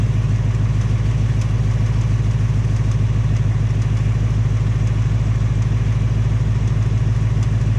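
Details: 2018 Mustang GT on its second Ford engine, at only 1200 miles, idling. Light, regular tapping at about three per second over the exhaust rumble: an engine tick of unclear source; Ford is fitting a third short block.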